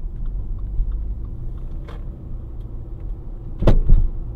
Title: clunking noise